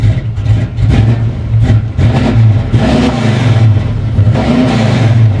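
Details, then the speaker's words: First start after purchase of a 1994 Chevy C1500 with a carbureted 383 V8, 700R4 transmission and probably 3.73 gears: a deep, even rumble that rises cleanly with each throttle blip and settles smoothly; healthy, mean-sounding engine. "Um, holy crap, that sounds good. Wow. Not going to lie, I wasn't expecting that at all. Wow. Okay, she sounds mean."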